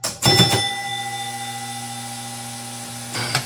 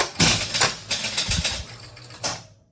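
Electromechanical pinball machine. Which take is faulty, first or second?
first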